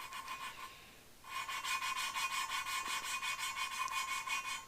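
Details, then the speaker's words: Valve lapping by hand with light fingertip pressure, back-and-forth strokes nearly three per second: the rasp has turned smooth rather than coarse and gritty, meaning the lapping compound batch is nearly spent. "se the motion you want to do is a back and forth and i hear how it's smoothing out so we're starting to get through the usefulness of this batch"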